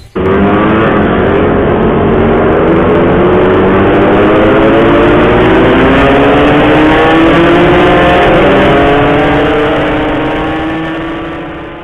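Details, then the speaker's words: Suzuki Satria two-stroke revving after a high-speed ride: harsh metallic clatter under the buzz from the left engine case; teardown found a loose bolt had come out inside and been crushed. "Jadi gini guys, ini awalnya Satria gue nih bunyi bletak-bletak nih, antara sini sama sini."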